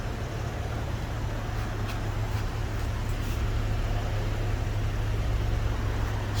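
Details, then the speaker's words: Subaru Outback 3.6R, 260k miles, after replacing stock mufflers (left Walker Quiet Flow, right Subaru OEM): low steady even idle hum, no ticks or rasp; exhaust now quiet, previously loud. "like a mouse is coming out yeah it's quiet wow yeah it's all good now"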